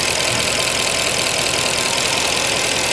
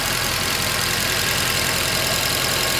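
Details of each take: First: Mercedes C63 just restarted cold after thermostat, pipe and coolant work: fast light ticking, several per second, under a loud steady idle; hydraulic lifters clicking until they fill with oil on warm-up. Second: Mercedes C63 after thermostat, pipe and coolant work, just restarted and warming up with catalytic converter fitted: steady fast-ticking V8 idle with bright hiss, no misfire or stumble, lifters expected to quiet as they fill; normal idle.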